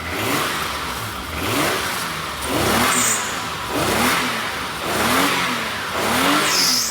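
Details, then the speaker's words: Car with previously leaking exhaust after DIY sealing of flanges, sealant not yet cured: repeated blips with a clean, even, much quieter exhaust note, no puffing or ticking; exhaust sealed. "Wow. It's so much quieter."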